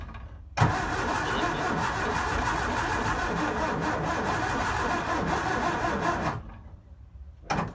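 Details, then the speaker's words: Second-hand Ford 711M engine in a Mk1 Escort, with a new coil, fuel and battery and the starter just repaired: the starter spins it at a steady, uneven chug for about six seconds and it never catches. Compression is low on three cylinders and dead on the fourth. "As you've seen in the video, the compression is low, so the car's compression is down. On 3 cylinders it's down, and on the 4th cylinder it's actually dead."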